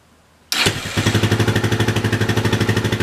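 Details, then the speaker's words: Yamaha 660 single-cylinder after carburetor rejetting and needle adjustment for a lean condition, on reserve fuel, in neutral: starts and settles to a quick idle, mostly even with slight breakup; pretty good. "Okay, still a little breaky-uppy, but it's pretty good. And it's not in gear. This is just neutral."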